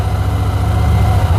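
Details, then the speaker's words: Carbureted motorcycle after reassembly, with old, undrained fuel left in the tank, started cold. It is now running without the choke and holds a steady, even low putter with no misses or surging; the idle is a little low. "it's actually maintaining idle don't die on me come on girl ooh without the choke as well"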